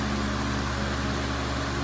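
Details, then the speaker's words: Fan on medium speed: constant low droning hum with rattly buzz carried through the table; still heavy vibration, but not as bad as expected. "Well, it's not really shaking at all. There's definitely some heavy vibration."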